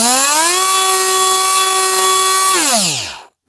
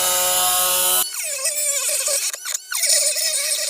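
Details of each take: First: Parkside PFBS 12 C7 cordless precision rotary tool at full speed with no load, for a noise comparison with a corded Dremel: a high, steady whine, then it slides smoothly down to a stop; normal, healthy motor. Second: Parkside PFBS 12 C7 cordless mini grinder at medium speed cutting plexiglass: high whine drops sharply in pitch and wavers under load, then recovers; motor bogs and lacks torque.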